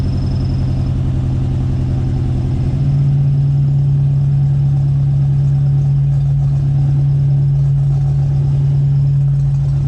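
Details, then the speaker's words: 1995 Ford Mustang GT on a cold start: loud idle surging unevenly, then a steady low moan likened to a cow. Owner read it might be the idle air control motor, given ongoing idle issues; it seems to go away when revved. Cause unconfirmed. "idle surging and there's a sound that sounds like um a cow giving bird I read something that said that that might be the idle air control motor since I have been having idle issues"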